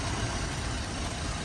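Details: GMC Acadia 3.6 V6 from an auction car at idle: a steady, even, low rumble with no knocks or misses, and the A/C compressor is heard kicking in quietly. Engine and compressor sound healthy.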